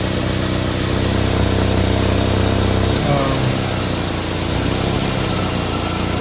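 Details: Exhaust resonator after a DIY patch repair, sealant dried 24 hours: steady, even idle with a smooth low rumble and no puffing or ticking from the exhaust; sounds sealed, normal idle after repair.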